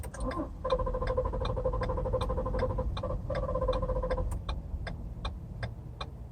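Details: Car just out of a CarMax service for rotors and wheel balancing: pressing the push-start button gives a quick, even clicking at about three per second with no cranking. A no-start click.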